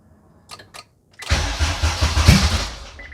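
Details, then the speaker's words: 1996 JDM Honda CR-V RD1 with K24 swap on KPro, reading 12.2 with a fuel leak; clicks, then the engine catches with a roar and fades straight out, followed by a chime; the faulty ignition switch only powers on in the start position. "okay well we just had one fire and we're reading 12.2 and i got a fuel leak too okay so this car sometimes had a problem with the ignition cycling and wasn't really sure what it was"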